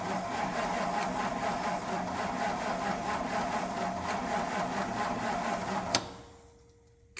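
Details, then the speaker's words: Classic Ford's first start in years: labored, uneven cranking at about two beats per second despite a jump pack and no choke, then it stops; the starter is turning too slowly and is left to cool. "you know this thing is cranking over really slow and we are slapping it with a ton of amps the battery"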